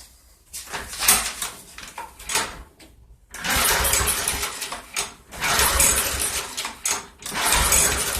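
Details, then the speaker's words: Curbside 2012 Yard Machines 11A-A54R729 mower, Briggs & Stratton 158cc 500 Series, before repair; yellow gas, spark and oil confirmed, carb cleaner and starter fluid sprayed: pops in ragged bursts with dead gaps then dies, fuel delivery fault. "If it's going to run, it should at least pop off. Anyway, little starter fluid. Let's see what it does."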